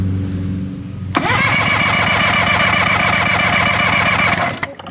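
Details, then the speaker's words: 1973 Johnson 65 hp outboard (65ELS73R) that cranks but won't start after years of sitting, cranked during a compression test with the key off. Even, steady cranking at about four beats a second. Readings of about 120 to 140 psi show normal compression. "This is like saying almost. Wow. 140. That's pretty good."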